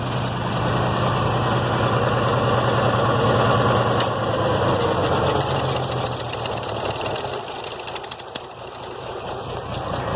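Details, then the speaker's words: IH Farmall 706 tractor, sat over two years, mowing hay with the PTO engaged: the beat sags and dulls under load and never reaches full revs; bogging, owner suspects water or sediment in the fuel or carburetor. "you see where i was at as far as i think she just got a drink of water or some dirt who knows"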